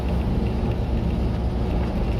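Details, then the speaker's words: 1988 Ford F150 pickup at idle after new spark plugs, wires not yet replaced: uneven, lumpy idle with stumbling beat, occasionally dropping a cylinder; misfire still audible though not yet felt. "I feel like I can hear it sputtering, but I don't feel it yet."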